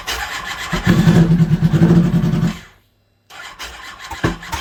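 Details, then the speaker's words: 2006 Kawasaki Ninja ZX10R four-cylinder running with no mufflers after modifications, during a fuel pump and fuel pressure diagnosis: loud raw bark firing evenly for a couple of seconds then dropping away; sounds healthy, normal running. "sounds pretty good oh neighbors are going to call the cops on me again"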